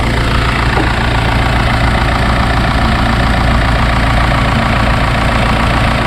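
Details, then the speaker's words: Direct-injection turbo petrol engine idling with a fine, fast ticking: normal noise from the high-pressure fuel pump, driven off a camshaft lobe, and its tappet as fuel pressure rises; healthy engine, not a fault. "который возникает при работе двигателя с непосредственным впрыском топлива когда увеличивается давление при непосредственном впрыски давления топлива подач естественно возникает вот этот звук цокающий это раз во вторых шум идет от толкателя тнвд"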